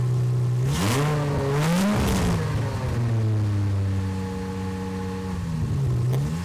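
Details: Aston Martin DB7 V12, freshly refitted engine with new injector O-rings, first start: runs perfectly, revving eagerly on the lightest throttle then settling to an even idle; throttle butterflies had been found set partially open; oil pressure fluctuates normally, no leaks.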